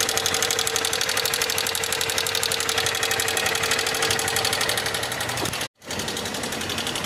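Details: 2024 motorcycle (Fan) with strange engine noise for the second time in under 6000 km: fast, steady ticking about four per second over the small single's running note; cause unclear.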